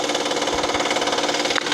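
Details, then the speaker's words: 2012 Honda Pilot 3.5L V6, hot engine with a clicking complaint, microphone at the timing chain cover: a fast dense metallic ticking rattle over the running engine from a failed timing chain tensioner. "I think that's a failed timing chain tensioner in there. I believe that's what the deal is."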